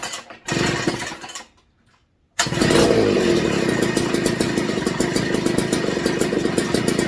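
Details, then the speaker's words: McCulloch MC49 two-stroke after rebuild, fitted with a substitute 090 carburetor, warming up in a 62°F shop: fires after short silence and settles into crisp even buzz with no misses or knocks; normal running. "all right that has a very unique sound to it versus a chainsaw Muffler so"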